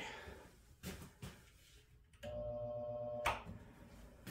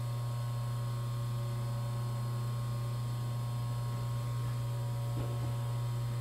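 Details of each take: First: Three-phase motor powered from single-phase supply, no converter or capacitor start: steady low buzz for about a second, shaft doesn't pick a rotation and just balances, no start; single-phasing hum that can burn motors up. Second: Three-phase motor run on 220 V single-phase power using starting capacitors, no converter: spins up, steady, even low hum with no knocks or wavering; runs smoothly.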